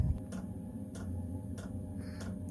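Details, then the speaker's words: New 8kW all-in-one Chinese diesel air heater with 5-litre tank in an expedite van, starting up at 9°C cabin temperature; sharp, even fuel-pump ticks about every 0.6 s over a low steady fan hum, normal startup. "there it is on startup right now it's nine Celsius in here this sucker is kicking out some good heat"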